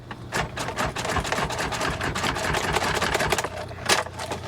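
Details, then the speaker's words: C6 Corvette Z06 at a salvage auction: several seconds of rapid, uneven starter cranking that never catches; crank no start, suspected to have sucked up water and may be a flood car. "oh man well that sucks and it sounds like it's trying to crank too this thing may have sucked up water"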